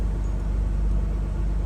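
Low, steady diesel rumble at idle, even pulses with no knocking or hunting; engine idling normally after start.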